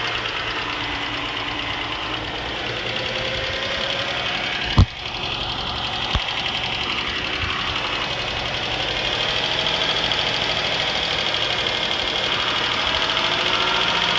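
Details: 2006 Cadillac CTS 3.6L SFI V6: rapid light ticking that speeds up with acceleration but not louder, a sharp knock or two; audible at cold start, louder after an hour running; began after timing chain replacement, cause unknown.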